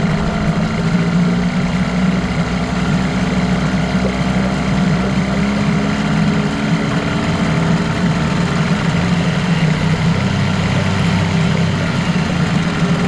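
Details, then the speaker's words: 1989 Evinrude Yachtwin 6 hp two-stroke outboard, parts motor, low compression suspected, JB-welded piece: steady idle with a faint clocky knock in the buzz, possibly bottom-end wear, unproven; engine knock. "sounds good right now to me but when I listen to it in the uh with the earphones on I thought man that doesn't sound very good A bit Clocky"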